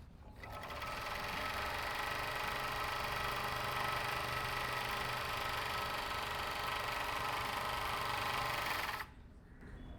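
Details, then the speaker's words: Overlock machine after repair of needle bar/looper touching fault that caused khat-khat knocking, stitching: smooth, even, fast whirr throughout with no knocking or clatter; now sews quietly and healthy. "सच में machine में सच में machine की आवाज में इतना फर्क पड़ गया है। मैंने सोचा नहीं था। उससे अच्छा रिजल्ट मिला है।"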